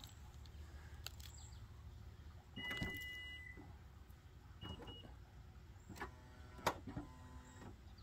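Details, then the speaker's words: Toyota Venza power liftgate, operated with the button after manual closing and the lock were heard working: short electric motor whir with a thin tone and scattered clicks; the liftgate drive is running erratically, cause unclear. "yeah see they're using the button it did not like that something is still going on"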